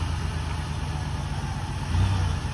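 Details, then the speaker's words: 2005 Dodge Caravan started right up on a jump box and moved backward and forward, idles very quiet with a steady low hum and no knocks or ticks; sounds pretty good. "Moving it backward and forward. Sounds pretty good. Very quiet. Engine didn't sound like it had any knocks to it."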